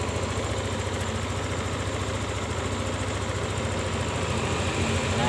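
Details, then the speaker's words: Yamaha Lexi scooter that died when throttle released, after ISC sensor reset (screw in fully, out 2.5 turns, key cycled 5 times): steady low putter idle, higher, rising slightly near end, no dipping or dying. "sekarang langsung saja kita coba Nyalakan kita bunyikan mesinnya begini langsamnya Jadi tinggi ya bro"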